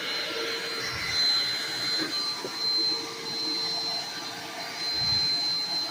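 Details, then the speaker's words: Black & Decker BDLCE101 vacuum: loud, steady high-pitched scream from an unloaded motor with no brush-roll thrum; roller brush not spinning, owner suspects broken drive belt. "the wheel is not spinning. And that's what we're going to check into right now. The uh roller brush, the brush is not spinning. So, I'm suspecting the belt's bad."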